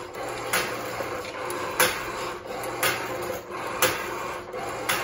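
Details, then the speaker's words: Motor drive on a Brother/KnitKing 270 bulky knitting machine, carriage travelling back and forth over a set section: soft swishing clicks about once a second from the rear metal wire the owner believes senses carriage position; normal. "Now that noise that you hear is this metal wire in the back. That metal wire in the back, I believe, tells the machine whether your carriage is to the left or to the right."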